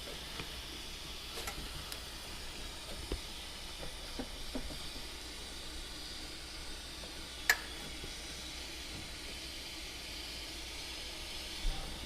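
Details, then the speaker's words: Turbo intake pressure test with compressed air, engine off: steady airy hiss with a few clicks from air escaping around a possibly not fully tightened injector in the manifold. "Yeah, it feels like it's coming out of the injector hole there. That's not good. It means fuel's going to get all over the place."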